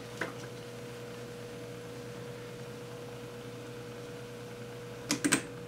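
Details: Ampex 600 tape transport starting its motor and running in play after playback clutch repair: a quiet, steady motor hum with faint hiss and a few clicks near the end. The transport works correctly, though roller rattle is noted.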